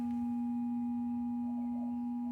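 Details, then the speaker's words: 2012 Mercedes GLK 350 X204, small form factor LED low beam bulb replacing halogen; constant pure humming whine from the bulb's driver electronics, as loud with inspection panel on and audible inside the car. "but it is just basically that loud with it on as well and worse you can hear it in the car so it's coming out"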